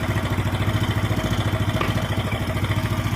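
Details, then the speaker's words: Yamaha Mio Sporty scooter single-cylinder engine after repair for hard starting from loss of compression caused by worn valves and valve seats; O-rings replaced. Steady, even putter at about 3.5 beats a second, no misses or knocks; healthy idle. "okay, now I'm trying to drive the langsa, it's better than yesterday, Bro,"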